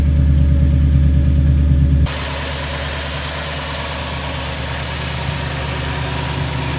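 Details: 2002 Toyota Tundra 2UZ-FE V8, first start after new coil pack and spark plugs fixed cylinder 8 misfire (P0308): steady even idle, no stumble or skipped beats, hissy background; all cylinders firing cleanly, normal idle.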